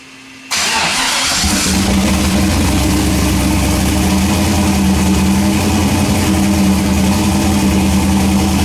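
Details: Engine started after replacing one head gasket, fuel system primed first; cranks, catches quickly, settles into steady even idle with smooth low drone, no knocks: normal start and idle.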